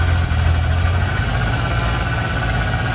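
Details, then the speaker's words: 1992 Ford F250 7.5L 460 V8 that failed smog with codes 31, 32, 34, EGR valve test before applying vacuum: deep steady idle running fine with no stumble or miss. "so that'll tell me if the EGR valve is working okay it's running fine"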